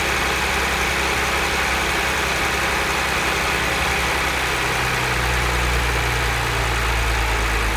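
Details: Cold start idle of a 2010 Audi S4 B8 V6 with manual gearbox at 110,000 km: a dense metallic rattle rides over the steady idle without letting up, from a worn, slack timing chain, later fixed at a shop.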